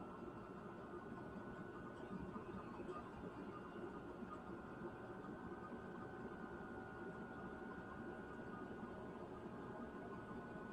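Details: Newly installed Chinese diesel heater (Silvo) turned down to a low setting after warming up: quiet, constant fan hum with a steady thin whistle, no surging or knocking; running smoothly.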